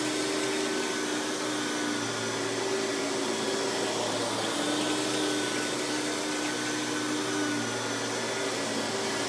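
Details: 1990s Hoover PowerMax Supreme 850 S3609 canister vacuum on high speed with power brush on: even, steady motor whir with constant hum, no surging, rattling or grinding; runs very smooth, though not the quietest canister.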